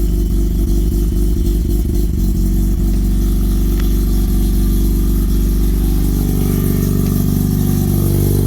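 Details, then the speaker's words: Car with relocated Haltech ignition, rewired, radiator and fan moved, coolant not yet bled, just started after wiring: a few uneven firings, then low steady even beat, no knocks or misses; normal running. "Well, the good news is, I guess I got my wiring right."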